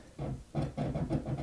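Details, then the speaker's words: Lafayette LR-910 receiver stored nearly 30 years, no antenna connected, tuning dial rocked: scratchy crackling bursts come and go about five times a second; dirty tuning capacitor needing cleaning. "You hear all that? You hear that? That's a dirty tuner cap. So, we'll have to clean the tuner cap."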